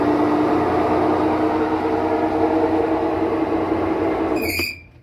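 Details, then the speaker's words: Maytag washer spinning a small load with one towel deliberately placed to one side to check the snubber ring: steady, smooth high-speed spin hum with a faint steady tone, no banging or thumping, then winds down; spin normal. "So these have very, very high RPMs. So your clothes almost come out dry. They're so fast."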